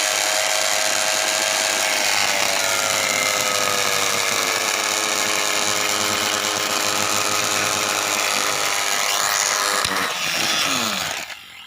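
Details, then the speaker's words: Small universal motor run on 220V through a water-and-salt resistance, salt added to raise speed, one armature coil faulty. A screaming high-pitched whine shifts pitch with harsh brush hiss, then fades as overspeed wrecks the carbon brushes and burns and breaks the commutator. "तो दोस्तों आपने देखा कि motor कितने high speed में चल रही थी। और यहाँ पे मोटर के जो कार्बन ब्रश थे वो पूरी तरह से टूट गए हैं, और जो आर्मेचर का कम्यूटेटर था वो भी जल गया है पूरी तरह से, और टूट भी गया है।"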